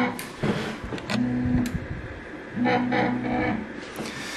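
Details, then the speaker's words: New Eryone ER-20 3D printer after assembly, auto-homing: stepper motors hum in short bursts with faint dry scraping. Owner suspects lead screws rubbing, maybe assembled too tight, needing grease; possibly from up top; not confirmed. "all right we're gonna have to grease up that uh grease up those um lead screws because i can hear them rubbing maybe i made things too tight"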